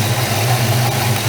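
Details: Ford Mustang engine with underdrive alternator, water pump and crank pulleys, idling cold after a new Gates serpentine belt install: steady, even low rumble with no knocks, ticks or belt chirp; runs fine.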